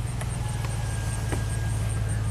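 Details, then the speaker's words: 2003 Chevy Silverado Classic V8 with an intermittent no-crank, theft-deterrent start-enable signal not received, ignition switch suspected: once powered it starts to a steady low V8 burble with a faint tick. Normal idle. "starts and runs fine there we go"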